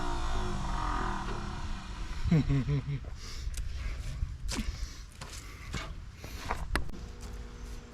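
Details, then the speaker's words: 1959 Ford Thunderbird 352 V8 parked 33 years, first spark achieved, gas poured down the carburetor: slow uneven cranking, brief catch, then keeps turning without running; apparently fuel-starved, battery weak. "Fire in the hole. Oh shit! Oh yeah, baby. It's gonna fire. It already did fire. She's just thirsty, dummy."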